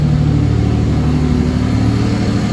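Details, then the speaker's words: Mercedes W203 with turbo M104 engine, new fuel pressure regulator, fitted with M271 injectors using added O-rings: deep even idle and small rev, no stumbles or misses; smooth normal idle. "smooth just give it a small rib see what it sounds like wow yeah"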